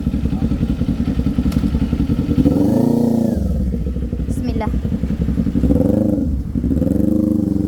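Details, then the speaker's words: Kawasaki Z400 after a repair for a backfire that showed when it was run hard; revs up and settles cleanly with smooth, even firing and no pops or bangs on the overrun; normal running, backfire gone. "Ayun narinig niyo wala na wala na nga siyang backfire"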